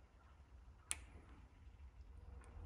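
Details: John Deere D120 lawn tractor that shut off while mowing and started hard: crisp click of fuel shutoff solenoid after its loose connector terminals were tightened; solenoid now pulling in properly, working normally.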